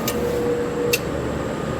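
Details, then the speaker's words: Vintage late-1970s or early-1980s Coke vending machine: steady fan hum with a couple of sharp clicks as the compressor tries to kick on but fails; lights dim and the fan slows each time; owner unsure if it is stuck, bad or low on Freon. "yeah you can hear the compressor trying to kick on I don't know if it's stuck or if it's bad or if it's low on Freon not 100 sure but every time it goes on the lights dim and the fan slows down a little bit"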